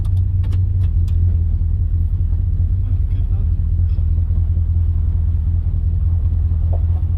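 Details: 1956 Dodge at cruising/highway speed, heard from inside the cabin: a heavy, steady low drone coming from all around with no clear knock; owner plans sound deadening, and the noise source is not yet located.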